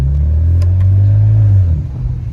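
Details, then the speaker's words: 2008 BMW 335i E90 with the N54 turbo engine, now starting with no check engine light: a deep, smooth rev that climbs, holds and drops cleanly with turbo noises and no knocks or rattles. Healthy turbo engine. "sounds [ __ ] good got great turbo noises"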